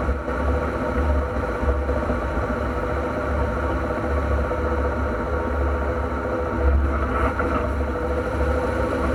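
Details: NP231J transfer case: steady low drone with a faint humming tone over the drivetrain; transfer case noise, cause not yet found before teardown.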